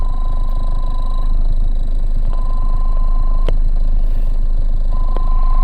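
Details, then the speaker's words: Car audio alternator whine in highs and mids: thin steady tone in speakers cuts in and out as a bare wire from an RCA is touched to the door/body ground; bad ground, needs more ground. "touching not touching that just means I need to I need to ground that you just need more ground"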